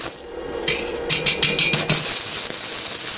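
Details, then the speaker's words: Stick electrode welding: after the electrode is struck by scratching and tapping on a scrap plate, a few scratchy taps turn into a steady frying crackle, showing a stable arc before moving to the workpiece. "Este ruido ya es soldadura. Y ahora yo me iría a la pieza que quiero soldar."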